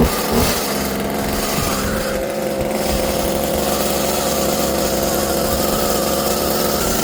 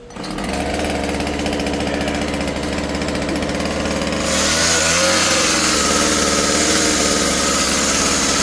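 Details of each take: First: Husqvarna 36 chainsaw two-stroke with a new carburetor, fuel line and filter warming up at a fast, slightly uneven idle that wants to die, before idle screw adjustment. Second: Husqvarna 36 chainsaw after carburetor, fuel line and fuel filter replacement (low screw 1.5 turns, high 2.5): starts and idles crisp, then revs cleanly to a steady high scream without bogging; running healthy.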